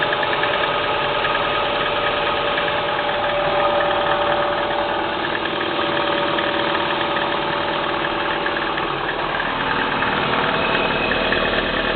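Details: Kia Spectra 1.6 engine at cold idle: uneven light tapping riding over the engine note, roughly three knocks a second; engine knock, cause not yet clear.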